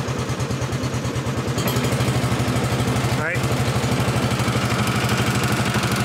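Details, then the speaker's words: Honda 1211 ride-on lawn mower, recorded from the seat while revving: steady flap-flap about three beats a second, plastic rubbing; transmission fan fault recurring despite earlier repair. "il y a un bruit de flap flap flap flap, vraiment un bruit de plastique qui frotte."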